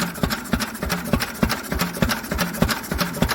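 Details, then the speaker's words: Lister commercial single-cylinder engine after magneto chain tightening, in run position: slow, even thump around a hundred beats a minute with light mechanical clatter, no misses or knocks; running healthy before shutdown. "uh he's running an absolute tree absolutely love it"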